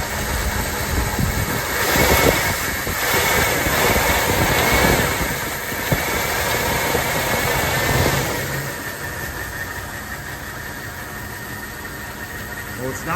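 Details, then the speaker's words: 1979 Lincoln Continental Mark V V8, first start after installing pushrods and lifters: uneven lumpy idle with loose irregular beats, missing badly and smoking heavily. "we had started the car after putting in the push rods and lifters, and it seemed good, but it wasn't. Uh it was missing badly. It was smoking like a banshee."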